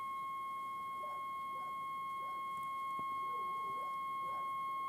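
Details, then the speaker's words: 1960 GEC BC505 transistor portable radio being aligned on the bench: a steady pure tone at one pitch through quiet hiss grows slightly louder as the long wave coil is moved toward maximum power-meter output. Alignment tone during long wave coil adjustment. "I'm just looking for maximum output now on the power meter. It appears that if I do move it further along that way, it becomes more sensitive."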